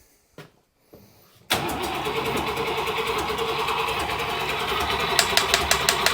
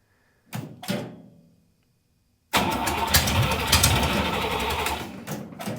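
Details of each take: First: Buick Nailhead-powered vintage rail dragster after a carburetor change, cranking on ignition to pump fuel into the carb: long steady cranking with odd weak firing pops, never runs on its own. Accelerator pump gives only a tiny shot; owner wonders about a clogged fuel filter. Crank, no start from fuel starvation. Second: Buick Nailhead V8 in a vintage rail dragster, started after a carburetor change with only the front two barrels linked: two short cranks, a pause, then it catches into a loud, choppy open-header idle. Normal idle.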